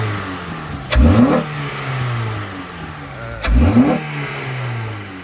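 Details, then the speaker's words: 9th-gen Honda Civic Si, warm, just fitted with a new intake (airbox removed, intake loosely placed): two quick blips rise smoothly and drop back to steady idle, no hesitation or rattle; normal revving, owner says it sounds good. "it sounds good? It sounds good. Yo, guys, listen to that shit."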